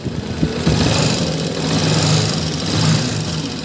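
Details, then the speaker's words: Honda TMX 125 series 1 single-cylinder, about 7–8 years old, cam-area O-ring just replaced, kick-started cold: fast, even light ticking over the thump, loud even cold; valve clearance to be checked, excessive clearance suspected. "so malakas na yung kanyang lagatik kahit malamig pa yung makina"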